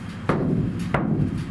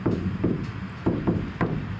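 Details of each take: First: Iveco Daily ex-fridge van camper conversion: the bare roof panel is banged before sound deadening. Each tap gives a dull boom that hangs on long after the hit; the undamped panel rings like a gong. Some roof panels have come loose and need rebonding. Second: Iveco Daily ex-fridge van being converted to a camper: a body panel tapped after applying butyl sound deadener. Dull knocks fade fast with only a brief ring; the panel rings less than before, so the deadener has damped it.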